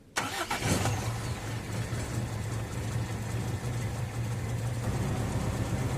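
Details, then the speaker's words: Owner-type jeep after replacing the leaking gasket between intake and exhaust manifolds, following a clogged carburetor: starts at once and idles steady and even; the carb no longer hiccups when the throttle is snapped, running fine. "Before mga boss, pag binibigla kong i-rep itong karburator, sinisinok yan. Pero kung mapapansin niyo ngayon, 'di ba, okay na okay na siya."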